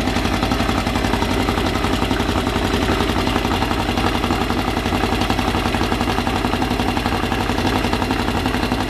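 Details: Freshly assembled 2054 engine on its first start after nearly a year of building, carbureted. A busy, steady 1200 rpm fast idle with slight gear chatter, an even beat and no knocking; the idle is kept high for break-in and may be lowered later. Normal.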